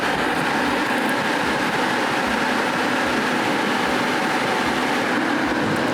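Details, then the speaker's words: 2019 Nissan Murano overheating due to inoperative cooling fans, fans powered via wiring diagram with relays missing from the fuse box: steady airy whoosh, no rattle or scrape; fans run normally. "Look at that, my fans are on."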